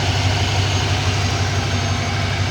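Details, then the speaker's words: Ford F-150 $500 farm-find pickup, V8 at idle; steady even low burble with no ticking, knocking or misfire, described as a beautiful engine. An exhaust leak with smoke was seen elsewhere. Normal idle. "listen to this truck just listen to this engine beautiful beautiful engine"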